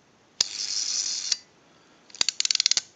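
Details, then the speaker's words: AE candlestick rotary dial telephone during repair, being dialed with the governor installed: a crisp run of quick, evenly spaced ratchet clicks as the dial returns. The ratchet is working properly; no clicking would mean a missing key or bad spring. "hear that sound effect the ratcheting noise the ratchet that's working properly if you do not hear that ratcheting noise when working on a dial like this that means that the key is missing or it's installed improperly or the spring is bad"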